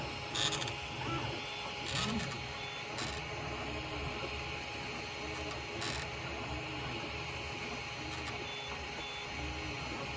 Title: Ender 6 grinding noise